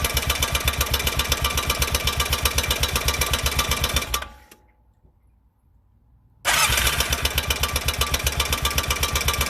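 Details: 2004 Honda Rincon 650 ATV, 1000 miles, lightly used, oil recently changed; sharp regular metallic clatter about four ticks a second over idle, worse on cold mornings, once faded when hot; owner suspects exhaust header, cause unconfirmed.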